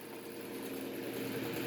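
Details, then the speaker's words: Antique GE table fan running: soft, even hum with a faint steady tone while oscillating, no knocks or rubbing; very quiet apart from a small rattle, though it vibrates the table a lot. "This thing sounds pretty awesome. Here we go. Oscillates, as you can see. It's very, very quiet."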